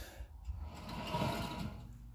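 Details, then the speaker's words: Toyota Tacoma 4x4 front hub hand-spun with the wheel jacked up, no load, sway bar link disconnected: dry, rough rumbling whir that swells as it turns. Howling on the road that gets louder with speed; worn front wheel hub bearing confirmed. "you can tell that uh it's the bearing for sure H bearing"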